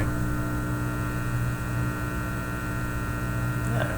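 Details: Teletone 67-600E record player amplifier on an isolation transformer, before hum-reduction experiments: steady low hum with a buzzy edge that never changes; mains hum getting through to the speaker.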